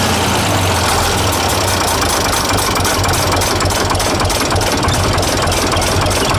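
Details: 931 (930 series, 8-speed) six-cylinder diesel tractor idling after oil change to 15W40: steady diesel clatter and firm low rumble, no odd knocks; healthy and quieter running, oil pressure down about 5 psi.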